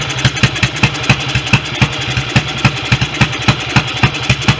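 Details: Restored BSA B31 single on magneto ignition, first run with 30-grade oil, no air filter gauze, smaller jet still needed: slow single-cylinder idle about four beats a second, uneven spacing and strength; carburation and ignition issues suspected.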